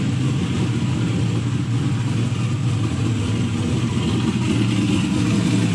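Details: Turbo LS V8 Mustang after fixing cranking issues, idling: deep, steady burble with an even beat, no knocks, misses or ticks; engine running healthy.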